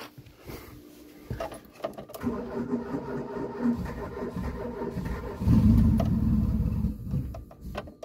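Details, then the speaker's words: Renault Espace turbo project, J6R 2-litre engine with twin-barrel Weber carburetor, cold start on ethanol without choke. Long uneven cranking with sputters before catching and roaring up; runs lean cold, so pumping the throttle enriches it. "Ah oui, il fait froid, démarrage à froid l'éthanol, c'est pauvre."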